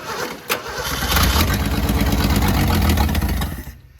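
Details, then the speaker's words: Junkyard 1962/63 Ford Falcon single-carb engine, dug out of weeds, with brake cleaner sprayed in as starting fluid and jump pack connected: brief crank, fires rough and loud about three seconds, then dies as it burns off. "It'll fire. So yeah, this thing actually does run."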